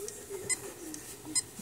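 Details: Magnetic hard drive with a quiet hum broken by sharp single clicks just under a second apart, repeating steadily; constant clicking of a failing drive, so data should be backed up before it's too late.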